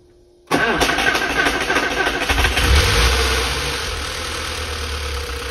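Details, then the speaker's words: Flood-damaged Porsche 968 first start after fuel flush, fuel pressure 3.5 bar: engine catches, then quick light lifter ticking over idle, expected to quiet as lifters fill with oil after long standstill; oil pressure good, voltage low. "right she's a little sey but that will calm down because it's been a long time for the lip that to F with oil but I'm happy"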